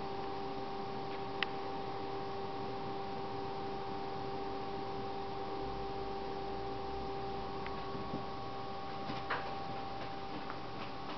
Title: ps3 slim loud noise